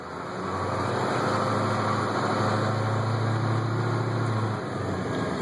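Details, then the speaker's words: 1989 Chevy Thomas school bus with 8.2 Detroit diesel, driving a lap: deep, even drone rising and settling as the bus turns, no knocks or misses; engine runs smooth and healthy. "You listen to that 8-2 Detroit. I'll swing around here. There you go."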